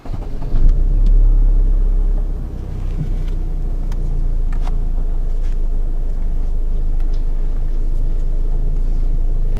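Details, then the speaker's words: Chevrolet, front raised: after tightening the loose nut on the strut top mount (paint marks had separated; mount rubber and bearing fine), turning the steering no longer gives the clunk, just steady low engine rumble, no knocks from the front suspension. "可以听到现在就没这个声音了。"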